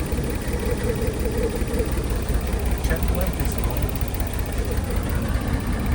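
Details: 25-year-old kei van that seemed to overheat on the road, lots of water blowing out, radiator looked normal; uneven loping idle of about two to three pulses a second; rough idle, head gasket suspected, unconfirmed.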